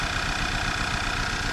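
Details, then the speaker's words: 2010 VW Eos 2.0L, hard start, black smoke, fuel smell: shaky idle with irregular low chuffing and a dropped pulse; cylinder balance shows cylinder 3 dead, misfire. "oh nope there we go cylinder one's dead missing or sorry not one three yeah it's not doing poop"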